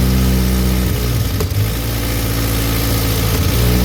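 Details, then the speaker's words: Mk2 VW Golf on a -2 °C morning, fuel fed manually, first start in 20 years: the engine catches and holds a steady low idle with a couple of brief blips and dips, running on its own. "It's alive. Right, what you all think of that?"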